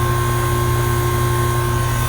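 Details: About ten-year-old Goodman AC unit after compressor replacement and R407C retrofit, running long enough to stabilize: even, steady low hum with constant tone and no knocking, rattling or clatter; compressor running smoothly.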